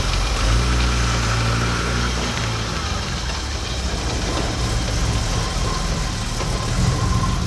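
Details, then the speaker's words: BMW E28 535is six-cylinder after ignition wiring replacement, fully warmed up: steady, even low-rumble idle with no stumble; earlier choppy exhaust and low-RPM misfire, mostly when hot, now gone. "so we let the car warm up and good thing we did because before the exhaust did sound a little choppy, but we're looking absolutely great now."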